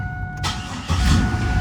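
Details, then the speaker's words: 1998 Camaro V6 with replacement used engine, 95,055 miles: short crank then fires instantly and idles steady but a little high, owner suspects bad idle air control valve; normal quick start. "Man, it's just instant. But she idles a little high."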